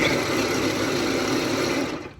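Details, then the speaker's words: Electric fuel pump of a turbo LS-swapped Mustang drag car, tested removed and dry after a problem at the track, relays giving 12 V: thin strained hum at slow rpm, winding down after two seconds; not spinning up properly. "some people say this is what they sound like dry i don't think this is what mine sounded like dry when i first started using it but it sounds like some pretty slow rpms in there"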